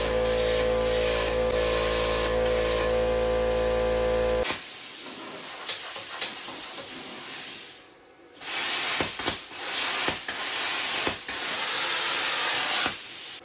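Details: Bestarc 55A pilot-arc plasma cutter, plugged straight into the wall after the extension cord tripped the breaker, setting changed. Steady hissing air with bright crackling bursts as the arc cuts, even and uninterrupted; cutting normally, workpiece possibly greasy.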